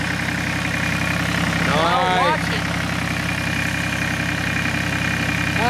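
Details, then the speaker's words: Massey Ferguson 1010 tractor diesel, 103 hours, with a newly fitted fabricated radiator that leaks a little: steady, even idle with a smooth low thrum and no knocks or misses; running normally. "you can hear it just humming away over here that thing has a hundred three hours"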